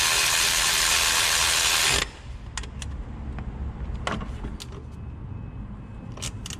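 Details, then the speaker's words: 2005 Chevrolet Colorado 3.5L brought in for a growling noise: the idler pulley spinning free gives a dry, rough rushing grind for about two seconds. The pulley bearing is worn and is being replaced along with the water pump and tensioner. "So we're going to change the idler pulley too. The bearing's getting pretty worn, you can hear it."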